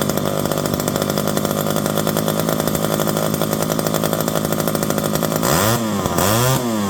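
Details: Electric-start McCulloch 5-10E chainsaw, revived from locked up and cheaply fixed: crisp even two-stroke buzz, revs up and bogs smoothly into the cut, recovering each time; running and cutting normally.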